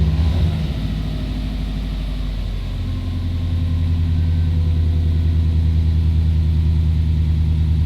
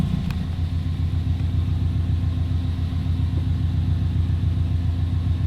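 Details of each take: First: 20-year-old JDM EJ205 Subaru WRX wagon, flat-four at operating temperature: after a throttle blip the idle stays raised and steady instead of dropping back, with AFR still safe. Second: Subaru WRX wagon, JDM EJ205, about 20 years old, warm at operating temperature after throttle and cruise control cables found too tight and adjusted: steady, even low burble at idle with no hunting, surging or misses.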